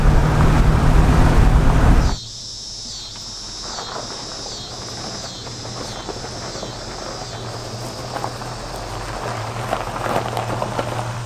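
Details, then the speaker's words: 1963 Ford Galaxie V8 cruising on the road after revival, vacuum advance fixed and exhaust leak gone: steady, even low drone, engine laboring less, no knocks, rattles or exhaust puffing. "An engine that runs good. Vacuum advance. You can hear the engine's laboring less."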